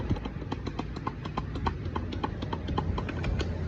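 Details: Sharp light ticks, about four a second, tap steadily over a low idle on a motorcycle engine; a valve-train tick, cause not pinned down.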